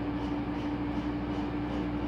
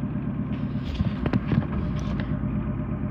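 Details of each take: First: 2015 Whirlpool Cabrio washer on high spin, slowly ramping to 850 rpm: steady even motor hum at one pitch, no knocks or rubbing; normal spin. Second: 2015 Whirlpool Cabrio washer set to High (normally 850 rpm), final spin after being paused mid-cycle only runs low speed; steady low drum hum with soft thumps never climbing to high-speed whine. Cause unknown, owner asks for help.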